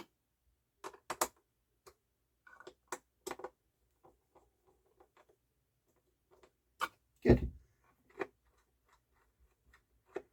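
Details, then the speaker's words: JVC L-A120 semi-automatic belt-drive turntable (c. 1983–84) after main spindle bearing service: quiet scattered light clicks and a soft thunk as the gears engage, auto-return runs, then spins freely at home position; normal smooth auto-return cycle. "And when that engages, the gears will turn, the auto return will go, and then when it reaches the home position, it spins freely."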